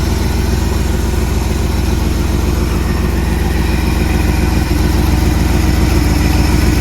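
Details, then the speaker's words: 1979 Jeep Cherokee AMC 360 V8, Quadra-Trac 4WD, first start after sitting 3+ years: smooth, even idle with a steady low rumble and no knocks or misses; healthy normal idle. "That's a smooth running little 360, guys. That's pretty good for not having ran for 3 years."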